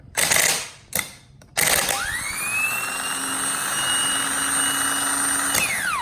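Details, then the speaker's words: Starter from a 2003 Chevy Silverado bench-tested by jumping positive to the solenoid: click, then clean whine climbing to a steady high pitch before spinning down; normal starter motor spin. "as you can see this starter and starter motor is good and the way that I am doing that is as you can see I have my positive right there and then I'm just jumping it over"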